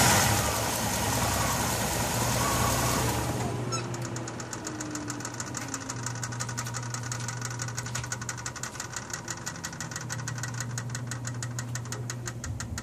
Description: Ever since I rebuilt the head on my 2000 Jeep WJ, it's had this weird ticking noise everytime I turn the engine off that lasts for 5-10 seconds. I think it's the exhaust manifold, what do you think?